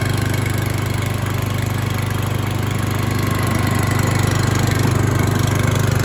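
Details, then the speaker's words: New Stihl GH 370 S four-stroke garden shredder on first start, idling at no load at about 2,400 rpm (about 3,000 rpm under load): a steady, even low thrum with regular firing and no knocks or misses, not very noisy. A normal idle. "pfai cum ați văzut Noe nu este foarte foarte zgomotos"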